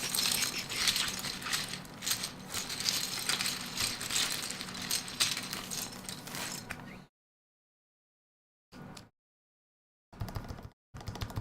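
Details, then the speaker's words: Freshly soldered E6 V2 keyboard build, stabilized keycaps fitted to verify function: quick irregular typing, about a hundred strokes a minute, crisp with no rattle or tick from long keys; stabilizers fine. "Get our stabilized caps on, just make sure, all of this sounds good. Sounds great there. Sounds good."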